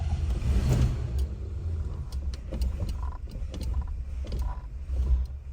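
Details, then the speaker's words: 1983 Ford LTD Crown Victoria V8 first start after oil pump replacement following loss of oil pressure and ticking, oil filter pre-filled: low, lumpy note surging and sagging; oil pressure present, owner suspects it's flooded. "let's see what happens that does not sound good"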